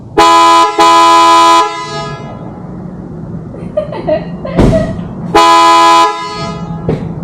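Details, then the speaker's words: 2019+ Mercedes Sprinter van with newly installed PIAA Super Bass horns, grille back on: two long loud deep dual-tone blasts then another firm blast; strong, clean horn working as it should. "Yeah, I could do that. I can hear it all the way through the van, so that's how it should sound."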